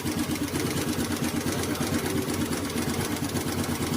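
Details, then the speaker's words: Honda Activa scooter engine idling: quick, light ticking at about three per second. The tappet is loose and needs tightening. "इसका tappet loose हो चुका है, इसे हमको tight करना होगा।"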